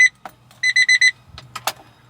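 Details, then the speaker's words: Kei mini truck with excessive crank/rough start, turned over after cleaning corroded carb solenoid connections: key-in-ignition reminder chime unexpectedly sounds, one beep then four quick ones, first time ever heard; intermittent power reaching the chime relay. "wow that is Bizarro that is literally the first time I've ever heard that kick on since I've owned the truck"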